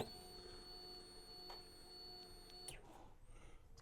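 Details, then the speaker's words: Suzuki Hayabusa GSX1300R, key on after refitting the fuel pump and hoses: thin steady whine for a couple of seconds whose tone changes, then cuts off cleanly as pressure builds; normal fuel pump priming. "you can hear the fuel pump Prime that's up to pressure now run it a couple of times you can actually hear the uh tone change"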